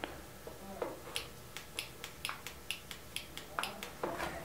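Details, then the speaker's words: Baratza Sette 270Wi coffee grinder: crisp, evenly spaced light clicks as the hopper is locked clockwise, the hopper safety switch engaging normally (motor needs this plus a grind setting below 31). "Why? Well, there's some safety switches. If you listen closely, you can hear a safety switch clicking when I lock my hopper in."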